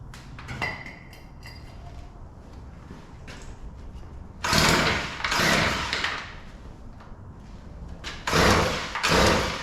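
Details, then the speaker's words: Weed Eater PE550 two-stroke edger, primed with carburetor cleaner after failing on full and half choke: catches in short ragged bursts and falls back, stumbling; both carburetor mixture screws far out of adjustment, too lean. "It doesn't sound good, but All right. I'm going to open the screws that lower the high speed and we'll see if we can get it to run."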